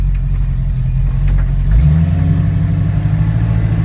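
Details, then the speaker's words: 1974 AMC AMX Javelin with a Borg Warner automatic and Flowmaster Super 44 mufflers, driving with windows down and road noise. Loud exhaust drone drops cleanly at each shift, giving smooth upshifts through second and third with no flare or clunk. "There went through the second, and there's third. You know, car sounds good going down the road."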